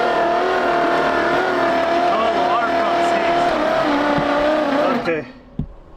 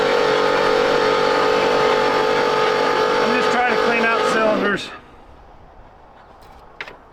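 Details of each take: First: 1968 Oldsmobile 442 (Cutlass) with engine believed locked up, oil mix in cylinders, crank attempt: starter whines steadily while engine turns over sluggishly, dragging hard, never catches; afterward a seized water pump suspected as the cause. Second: 1968 Oldsmobile 442 that was locked up: with the water pump unhooked, the starter spins the engine over freely at about four beats a second without drag and it sounds better; normal cranking.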